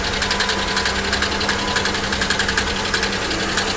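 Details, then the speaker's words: GM 3100/3400 V6 car, salvage-auction vehicle: quick sharp ticking about three per second over a rough idle; suspected collapsed lifter or misfire, blown lower plenum gasket considered, oil shows no coolant. "do you guys hear that that that doesn't sound like a lifter not at all actually that does sound like lifters that almost sounds like this car maybe has the uh blown lower plenum gasket which these 3400s 3100s are absolutely known for"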